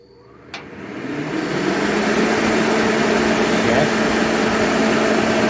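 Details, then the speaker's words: Master kerosene torpedo heater with E1 error, test run with igniter, pump and solenoid on; igniter snap, then a roar building over two seconds and holding loud; flame shooting out the end, possibly still warming up, owner unsure. "I'll be de it's flame shooting out the end but it's hard to say this might be getting up to temperature still but have to give that a look"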